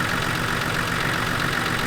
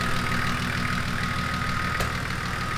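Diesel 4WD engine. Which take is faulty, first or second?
first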